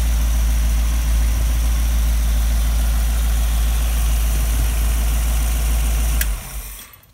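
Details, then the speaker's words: Rebuilt 1965 283 small-block Chevy in a Model A hotrod chassis, on temporary quiet mufflers: deep, steady, even V8 idle burble, no knocks or misses, then shut-off; healthy idle. "Mufflers, they're very quiet mufflers, temporary hung, so the break-in period, you can hear the motor. Put something that sounds a little meaner on it later."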